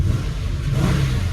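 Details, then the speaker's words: 1987 Monte Carlo SS LS-swapped 6.0 with CNC heads: deep, smooth rev with strong low rumble and no knocks or misses; healthy engine rev. "I went ahead and and change the m in it as you can see it's running like a champ"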